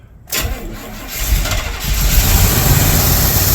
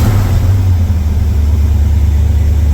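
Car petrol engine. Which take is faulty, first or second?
first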